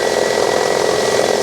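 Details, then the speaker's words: 2001 Toyota Camry 2.2L idling after replacing the wobbly harmonic balancer (crankshaft pulley) that caused belt squeal: steady smooth whir, squeal gone. "The squeal is gone. All right, well, it sounds great."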